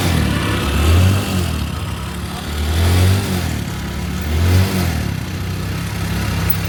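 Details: Motorcycle after fixing a starting problem traced to a black-contaminated spark plug; fires and blips cleanly through three quick revs, each settling evenly back to a steady idle; runs normally.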